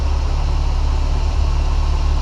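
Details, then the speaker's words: VAZ 2108/2109/21099 engine idling after timing belt roller replacement for an under-hood whistle that appeared at higher rpm: steady, even low idle with no whistle, chirp or squeal; belt running properly. "сейчас завел двигатель покажу вам как к ремень должен работать на заведённом как он должен подыгрывать"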